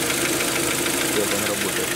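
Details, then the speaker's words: Kia Optima with 2.0 G4KD petrol engine before teardown and liner repair, idling on start-up with a hard, terrible metallic knock from scored cylinder walls letting the pistons slap. "сейчас мы будем общем-то запуска двигать слушать посторонних шумов мы всем известная проблема это задержит цилиндров думает об исключении двигатель запустили можете слышать этот металлический стук ужасно"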